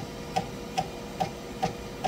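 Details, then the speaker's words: Creality K1 Max 3D printer, Micro Swiss extruder, still clogged after a hot unclog pin attempt: sharp clicks about two and a half per second over a faint printer hum, the extruder skipping against a clogged nozzle. "and as you can still see or as you can still hear that it's still Clogg oh my gosh and this pin is now useless"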